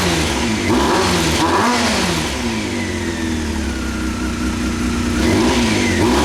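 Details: 1998 Honda CBR after carb rebuild and K&N air filter, run with choke on: revs rise and fall unevenly with a ragged, lumpy exhaust note under throttle; still running rough, cause unknown.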